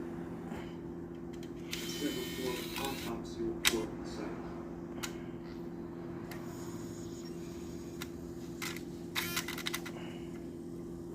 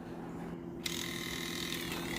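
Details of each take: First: Nintendo Wii disc drive after replacing a cracked gear with a spare from an old drive: steady low hum with a few short clunks while loading and ejecting a disc, ticking gone. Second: Nintendo Wii disc drive, after an HDMI mod: low hum, then a whirring mechanism with a gritty, ratcheting tick while a disc loads; the ticking on insert and eject is traced to a cracked gear.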